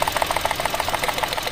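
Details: Mitsubishi Mirage with engine vibration, idling during coil-by-coil testing: choppy idle pulsing about twelve times a second with an uneven beat; misfire.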